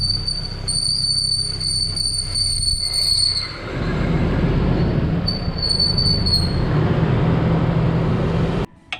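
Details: 1990 Nissan D21 pickup creeping down the driveway before repair: high thin squeal pulsing and fading at low rolling speed from a worn driveshaft center carrier bearing; whole driveshaft assembly replaced.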